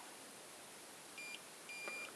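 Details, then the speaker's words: Xiaomi M365/Ninebot-type electric scooter controller with the throttle deliberately disconnected: two short, quiet high-pitched beeps at power-on and a red key icon. Controller error code signalling a throttle fault. "et là hop ils nous mettent un code erreur or pour moi j'ai le code erreur 1 mais ça veut rien dire à ce c'est général et on a une petite clé une petite clé rouge qui apparaît ici"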